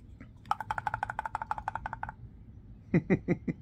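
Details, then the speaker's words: VW Crafter auxiliary coolant pump (water pump B / aux heater pump), fault code P261A, turned by hand: fast dry ticking then heavier knocks; pump worn out, replaced. "good is it I think it's knackered"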